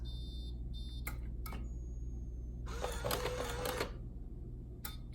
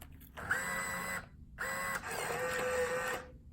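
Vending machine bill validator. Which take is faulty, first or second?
first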